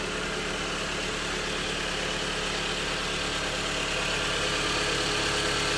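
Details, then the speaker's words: Jeep Compass after timing chain replacement for an engine rattle: smooth, even idle with a steady quick beat and no knocks or rattles; normal healthy idle after repair. "foreign most important the engine feeling good sounding good customer will I'm sure the customer will be happy the drive and fill the vehicle now compared to what it was before"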